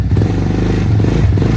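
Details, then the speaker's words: Venom x22r 250cc single-cylinder motorcycle on its first start, cold on choke: small engine putters steadily at a gently raised fast idle with an even beat and no clatter; normal warm-up. "So you want to let your bike kind of warm up first. So say about an 1/8 on your throttle with your hand. Just let the bike rev up, not high, but warm up. And then you can remove your choke."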